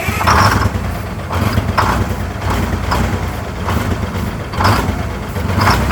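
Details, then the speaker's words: 1970 GMC Astro, Detroit Diesel 6-71 two-stroke, running after 25 years off the road: idle rising and falling in waves about every second, loudness swelling and dropping; surging idle, cause not confirmed. "It's doing that same crap I was doing. Notice that surging."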